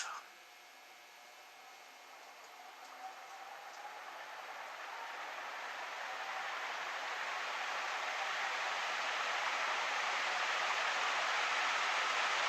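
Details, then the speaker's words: c.1978 Envirofan Gold Line 160F industrial ceiling fan started from off straight to high speed: smooth airy whoosh building steadily over several seconds as blades reach top speed, no knocks or rubbing; normal fan start-up. "so here is going straight to high from off"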